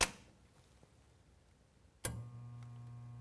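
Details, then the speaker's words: Expobar Brutus espresso machine: a click, then a steady low hum as the rotary pump motor gets power but won't turn to fill; likely bad pump bearings or scale seizing it. "hear that humming that's our pump not turning over oh machines trying to fill and it just can't do it"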